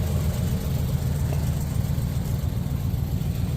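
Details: Restored Pontiac running under its own power for the first time in 50 years, after a freeze plug, brake booster and master cylinder work. Low, even idle with a steady exhaust pulse and no ticking or knocking: normal idle.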